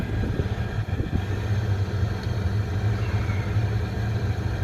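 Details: Oil boiler that kept locking out and sooting up, after air adjustment to about 11.5 on the analyzer: steady, even low roar with no pulsing or surges, burner firing cleanly and running normally.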